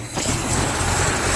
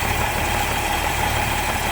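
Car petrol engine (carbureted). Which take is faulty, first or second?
first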